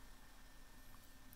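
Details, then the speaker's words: Macintosh Color Classic with its internal 250MB SCSI hard drive still installed but not accessed while booting from a SCSI2SD v5.5: faint, steady whir with a thin high tone and no clicking or seeking, a healthy drive spinning idle. "you still hear the mechanical drive spinning because it is still physically installed but you don't hear it clicking"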